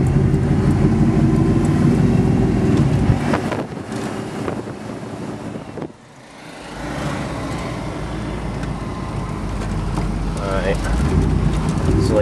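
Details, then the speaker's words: 383 stroker V8 with 454 injectors on test chip #6 (chip #5 hesitated): full throttle pulls fine, but part throttle and coasting run lumpy like half an engine, dipping and sagging; injectors checked clean, pinging under load, suspected bad chip. "Put the pedal to the radiator, she goes fine. But part throttle, coasting, I got half an engine running."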